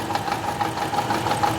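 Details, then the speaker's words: 2012 Toyota Camry: rough uneven idle with irregular thumps, heavy misfire with cylinders 3 and 4 not working. "एक गाड़ी में missing बहुत ही अधिक तीन नंबर पर चार नंबर काम नहीं कर रहा था"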